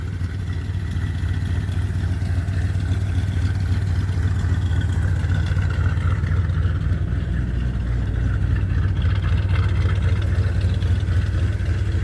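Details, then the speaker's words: 1978 Chevy C10 truck V8 after sitting a few days, battery just reconnected: deep, steady even idle rumble with no knocks or misses; owner says it has never run as well as now; healthy idle. "do this whole truck has never run this since i've had it never run as good as it does now"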